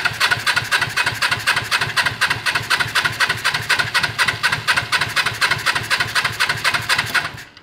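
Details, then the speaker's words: Suzuki GS450 six-speed motorcycle engine in a racing lawn mower/go-kart build, first start attempt: steady starter cranking about four beats a second, never firing; no spark, ignition fault. "I don't hear nothing yet do we have ignition let's find out thank you cranking no spark let me try it again no spark"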